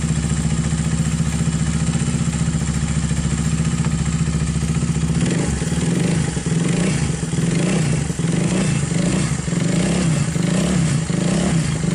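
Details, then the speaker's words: Viar 150cc single-cylinder motorcycle after repair of a knocking ("klotok") top-end noise caused by the cam chain (rantai keteng), fixed with thicker cam chain and gear: steady soft idle with light throttle blip, no clatter; back to normal and smooth. "Hai jadi mesinnya sudah kembali normal dan halus teman-temannya"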